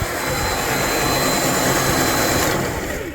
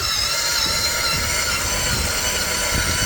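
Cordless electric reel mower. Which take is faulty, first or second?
second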